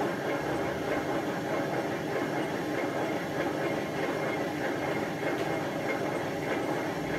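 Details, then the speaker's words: Hotpoint First Edition FEW12 washing machine, left outside for months: constant loud grinding roar with an uneven churning beat as the drum runs and the drum doesn't run straight; drum bearings are extremely worn, with almost no bearing left. "so this machine's got really bad bearings I wonder I wonder how it actually got that bad"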